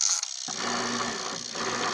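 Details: Washing machine after its faulty control board was replaced: a steady motor hum with a light, even mechanical rattle as the agitator works; the washer runs normally, the fault was the board.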